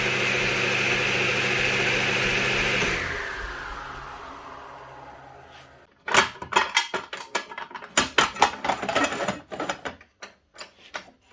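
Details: DeWalt DW743 flip-over saw induction motor after replacing the failed start capacitor that made it just hum: runs at an even steady speed and coasts down smoothly after switch-off; normal motor run.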